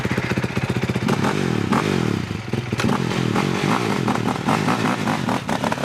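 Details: Stomp 110 pit bike that broke after a jump, revving and idling with an uneven clattery chatter over the exhaust beat; abnormal engine noise, something inside clearly not right.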